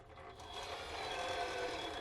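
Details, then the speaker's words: RC crawler Project Zoidberg on a 30% overdrive gearbox with stock ring and pinion and portal gears: motor whir climbs under load with a click and a gritty grinding in the gears; owner could not find the cause even after fully disassembling it. "You hear that click? You hear it, right? It's a little grindy. I have no idea what it is."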